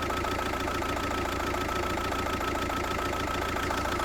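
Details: VW Passat 1.9 PD TDI diesel with a rough idle: a clattering beat that rises and falls slightly and never settles into an even rhythm. The cause is unknown.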